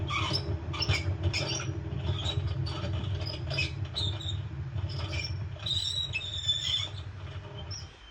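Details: LG washing machine before bearing replacement: deep continuous rumble as the drum turns with scraping ticks on top; worn drum bearings, seal suspected as cause.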